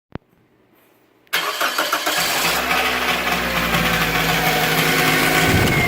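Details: 2008 Toyota Corolla LE cold start: petrol engine cranks, catches and idles with a loud metallic rattle that lasts a few minutes after starting and goes away after driving.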